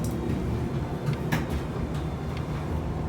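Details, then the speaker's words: Kenmore Elite Oasis dryer, about 10 years old, after repair for not heating: steady low drum rumble with soft tumbling knocks, even and unbroken; running normally and warm inside after about a minute. "if you can hear it uh it's it's running i'll give it another 30 seconds and i'll open up the dryer to see if i feel all right"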